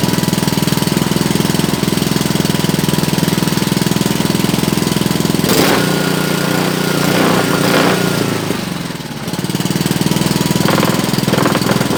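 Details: Honda GC160 5 hp single-cylinder after hard-start repair (faint spark): steady rapid firing about three beats a second, smooth and even with a brief mid-way rev dip; runs normally.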